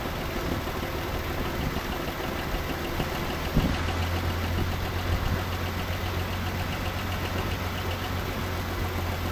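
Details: 1984 Chevrolet C10 six-cylinder, 84k miles, parked since 1993, radiator missing, first start: low, even idle with no knock or miss; healthy enough to proceed with oil change and plugs, and maybe a carb rebuild and fuel pump.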